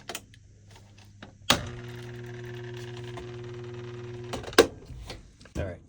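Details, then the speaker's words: Whirlpool top-load washer in drain and spin: steady low electrical hum about three seconds between clunks, no spin-up; something holding the motor from turning, drain pump to be checked; motor hums but does not spin. "that humming sound means that something is holding back the motor from turning"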